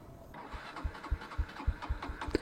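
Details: Honda Livo 110 motorcycle, carburetor run dry with fuel line disconnected before mileage test; slow, uneven starter thumps about three a second with no firing or catch; no-start from fuel starvation.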